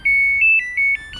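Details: Samsung control board on the repair bench: a quick run of high chiming beeps stepping between two pitches, then quiet. This is the dE door error code, shown because no door switch is connected.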